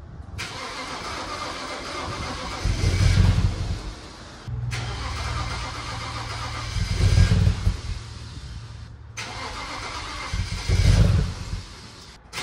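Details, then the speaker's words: 2008 BMW 335i E90, N54 twin-turbo, first start after reassembly and intake valve carbon cleaning: three rough surging attempts about four seconds apart, catching, flaring and sagging without settling, with heavy smoke; rough running on first start. "oh my goodness what a first start that think sounds terrible"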